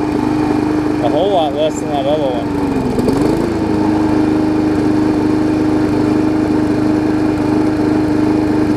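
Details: Briggs & Stratton Classic engine swapped onto a Hyper Tough mower deck from a Weed Eater 22" mower: steady high buzzing run with an even tone that dips briefly once and recovers; runs smoother than the old one, healthy.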